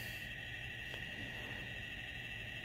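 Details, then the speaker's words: A constant, thin, high-pitched squeal that never changes, heard all night over a faint room hum. The source is unknown; possibly a dry fan bearing. "gonna have to hear that squealing that I've been hearing all night. So, sit back, relax, and enjoy the crazy squeal. Bro, who wants to hear that in the middle of the night for all night?"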